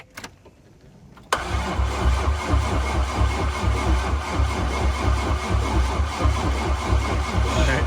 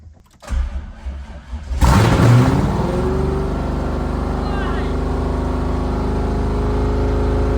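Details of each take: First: C5 Corvette LS engine build, first crank without liquid in yet and oil added for break-in: starter engages hard, then steady cranking pulses about two a second without firing. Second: C5 Corvette LS V8 engine build, cold start; starter whirs briefly, then it catches with a loud bark and settles into a steady, even, deep rumble; oil pressure 40, which owner thinks is low for a cold start; healthy start.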